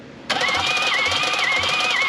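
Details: 1968 BMW 1800 barn find, compression test: steady starter cranking with an even chug about twice a second and a whirring tone. Readings of 75, 80 and 90 psi were low, plus one odd 170 on cylinder three.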